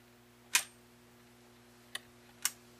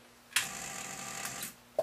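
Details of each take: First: Zenith Space Command 600 remote chassis (model S77 536, 1970 color TV) on the bench after alignment with the mechanical remote: crisp individual pilot relay clicks over low mains hum, relay pulling in cleanly for mute and channel commands; normal operation. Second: Zenith Space Command 600 colour TV remote control chassis during alignment: sharp clack then fast thin buzzing chatter and a click, as the volume relay's aluminium actuator chatters because the chassis lies on its side.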